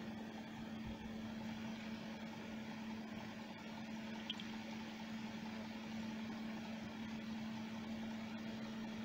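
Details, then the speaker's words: Sealey MightyMig 140XT MIG welder, trigger pulled: only fan hum and low electrical buzz, no wire feed or arc; PCB transformer gets 240 V AC but outputs no 12 V DC, failed open, fixed by replacing it. "across the two pins and we've got nothing coming through that transformer so i think the transformer is is broken"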